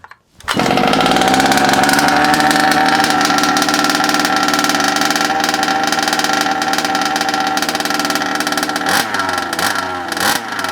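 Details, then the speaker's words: Rebuilt Rovan Q-Shorty petrol RC car two-stroke engine, first start-up after priming and choking: catches and screams at a high, steady, crisp buzz with no misses or sputter; normal healthy running. "What an absolute dream, eh? What a dream. Couldn't ask for better than that. Couldn't ask for better than that. Even if I'd wanted. Perfect. Absolutely perfect. Sounds good."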